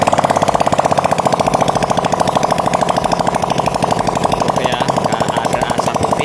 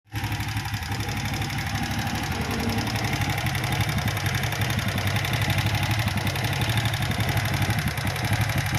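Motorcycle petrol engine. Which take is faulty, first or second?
second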